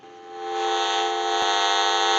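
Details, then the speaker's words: General Electric 27909 cordless telephone with a transmit issue, on dial tone through an analyzer: steady high buzzing hiss with fixed whistling tones, radio-frequency interference noise. "you hear that noise right there we'll take dial tone away so it can cause interference"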